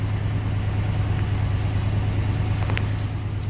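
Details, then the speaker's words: Restored 1989 Jeep Grand Wagoneer with new fuel injection and belts, heard at idle: low, smooth, even idle with a soft steady pulse, no knocks or ticks; quietness credited to the hood insulation. "now you can really hear how quiet is imagine new fuel injection belts and a lot of other parts but what makes a difference is that being quiet is the hood insulation"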